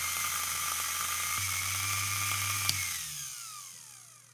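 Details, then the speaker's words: Rebuilt vintage AC/DC universal motor for a watchmaker's lathe, run while testing the reversing switch: smooth, steady high whine with light brush hiss and no knocks, then a clean, even wind-down after switch-off; the motor runs healthy. "does excellent I'd love to know more about the motor um the RPM the power"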